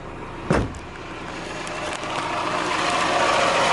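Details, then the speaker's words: Newly bought Miata project car, engine started and idling: after a brief thump it settles into a smooth, even idle with no lifter tick or rod knock, starts right up, no dash lights; sounds healthy. "there's no ticking know like lifter tick no kind of any rod knock sounds anything like that"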